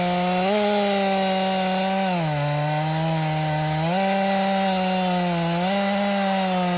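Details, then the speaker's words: Stihl MS261 M-Tronic chainsaw, warm, previously bogging when hot (air leak suspected at carburetor fuel line inlet): high, clean engine tone dipping under load in the cut and recovering each time, pulling strongly without bogging. "jammed it. It's working good. Just jammed it up."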